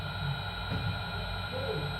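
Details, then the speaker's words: Motor driven by ATV12 variable-speed drive, potentiometer turned to 100% for 50 Hz high speed (0% = 20 Hz low speed): quiet steady hum with thin even drive whine, no knocks or rubbing; normal running at full speed. "Vous voyez, le régime a complètement changé. Là, on est à 50 Hz. Voilà, on est à 50 Hz."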